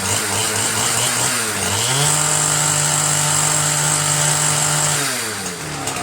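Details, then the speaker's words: Ryobi 410r 31cc mini cultivator after correcting misrouted fuel lines: crisp buzz climbs cleanly to a steady high speed, holds, drops back smoothly. Responsive, normal running. "thanks to Ken's small engines and James condoned for telling me that I messed up the fuel lines as usual I do that quite often so this though works great now unbelievable huh"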